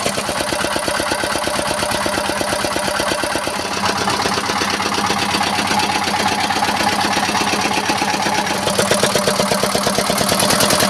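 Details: R180 single-cylinder boat diesel, previously hard to start, smoky and sounding abnormal, after the bearing metal and oil were replaced: crisp, evenly spaced firing thumps at a steady rate with no knock or irregular beats. Normal idle.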